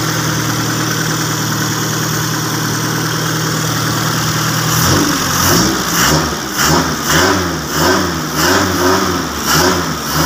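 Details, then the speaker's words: Custom-built farm vehicle engine after finishing, run with fuel from a bottle: raw booming idle then about eight sharp harsh rev blips; loud exhaust with muffler removed. "oke suaranya agak sangat berisik sekali"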